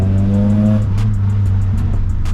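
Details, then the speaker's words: SSS Pulsar just back from an overhaul, driven under acceleration: a steady, even engine drone with no popping or rasp. Previously the whole engine jolted and vibrated violently on throttle lift-off; now it feels smooth and normal. "but now it's just so smooth you let off the throttle and it feels exactly how it should"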